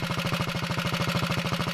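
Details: 1961 Wheel Horse model 401 garden tractor single-cylinder engine, just started cold on full choke: crisp, even beat at about fourteen pulses a second with no misses; normal idle, smokes slightly on throttle.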